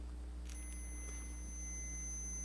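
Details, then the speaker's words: Auto-ranging multimeter set to continuity with its two leads touching gives a steady high-pitched beep and reads zero resistance, indicating a closed circuit. "you hear the beeping noise and it displays zero resistance that means that now there is no resistance between these two wires between these two points"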